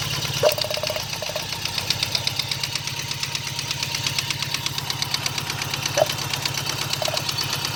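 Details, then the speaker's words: 1995 GSX motorcycle, first startup after sitting over a year, headers burning off: steady sharp knocking about three per second over rough idle from back corner; owner suspects rod knock or spun rod bearings, unconfirmed. "But the knot sounds like it's coming right back here. Back in the corner. Now from that, what I've heard of that sound, usually people that when it's consistent is rod knock."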